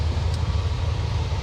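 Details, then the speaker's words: Cadillac 472 with RV cam, rebuilt A/C and A6 compressor, idling with A/C on auto in the high 60s and already blowing cold: a steady, even low rumble with no stumble while the compressor pulls. Normal idle under A/C load. "So and the car is just sitting here idling like it basically doesn't know that that A6 compressor exists. This 472 that scoffs at that A6 compressor with this RV cam in it."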